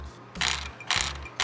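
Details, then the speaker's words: RockShox Reverb AXS wireless dropper post: three quick bursts of light metallic rattle about half a second apart, heard everywhere while riding; the front tilt adjuster bolt was left loose and should be tightened after torquing the clamp to 12 Nm. "Hear that vibration? Well you can hear it while riding, everywhere. One thing that SRAM doesn't really say is, once you use this tilt adjuster knob here uh or bolt here at the front, don't let it loose like this."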